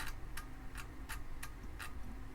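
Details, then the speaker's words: Amiga 500 floppy drive, powered on bench while booting a disk: sharp regular clicks about every 0.4 seconds as the head steps, sounds a little funky, cause unclear; noisy floppy drive seek, drive may need opening. "I've inserted the floppy it is reading it I can hear the head stepping oh that's just crazy it's booting"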